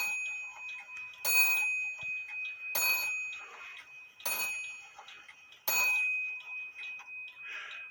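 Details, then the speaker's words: Herbert 8-day shelf clock gong, out of adjustment for a long time: four strikes about 1.5 s apart, each dying quickly with a dull dead ring; hammer sits too close to the gong, fixed by bending hammer wire. "you hear you hear that it wasn't a vibrant sound it was like a dead ring sound"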